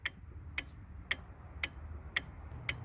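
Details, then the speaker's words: Starter relay from a 1999–2007 GM GMT800 truck (Silverado/Sierra/Tahoe/Yukon) with a no-crank problem, removed and bench-checked in a relay tester: crisp, even single clicks about twice a second with the status light on, so the relay works normally. "So here, based on this, we can feel the relay working, and we have a status light, and we know it's working"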